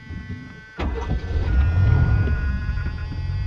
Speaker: you can see, it runs really well, starts nicely.